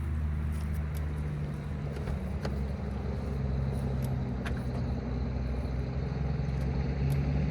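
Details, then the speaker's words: Honda Civic or Toyota Camry, one of two cheap used cars, started on a booster pack after adding 2 quarts to a low-oil engine: a rough low idle with faint uneven ticking. An exhaust manifold leak is suspected, probably needing a gasket. "Exhaust manifold leak. No big deal, probably just needs a gasket."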